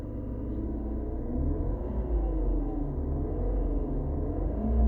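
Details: BMW E46 318i with AC on, just recharged with freon after a good vacuum test: engine rumble with a wavering moaning tone sliding up and down; strange noise only when AC is on.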